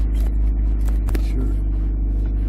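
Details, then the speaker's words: 2008 Jeep Compass after front passenger wheel bearing replacement, test drive: low road rumble with no hum or grinding rising with speed; muffler vibrating on trailer hitch noted separately; quiet, healthy wheel bearing. "I skip pretty quiet all right here we go all quiet no more uh noises more grinding noises beautiful awesome"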